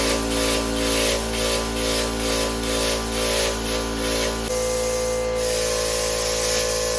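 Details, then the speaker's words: Bestarc 55A pilot-arc plasma cutter plugged into wall outlet after extension cord blew the breaker, setting changed: steady hiss with faint tone, pulsing about twice a second then even rush; cutting normally. "Wish me luck. I have no clue what I'm doing, but it sounds good."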